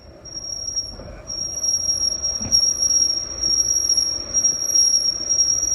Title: the flex is making a squealing sound